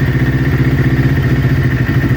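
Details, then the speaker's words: Kawasaki Ninja twin, recently rebuilt, warming idle: lumpy beat that stumbles and skips; right-hand (off-side) cylinder manifold reads 15–20 °C cooler than the other, an intermittent misfire from a failing ignition coil pack, replaced. "Our problem's on the right hand side, guys. I don't know if you saw that, but the right hand side cylinder is slowly starting to get a 15 to 20 degrees Celsius difference, and our problem is going to be on the right hand side cylinder."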